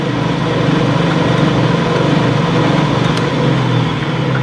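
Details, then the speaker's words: Craftsman/Atlas 12-inch lathe just after spindle bearing preload adjustment and fresh lube, switched on: smooth steady hum with a low drive rumble, no knocking or grinding; spindle runs quietly and evenly, normal running. "so let's go ahead and uh turn it on yep sounds good"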